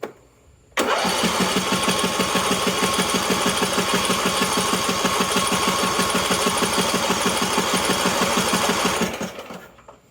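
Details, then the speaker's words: Husqvarna LTH 18538 riding mower with 175 hours, after a new camshaft is fitted, cranked by the starter with the spark plug out: an even, rapid chuffing beat for several seconds with no crunching or binding; it turns over freely. "Well, it's turning over, and I didn't hear anything crunching."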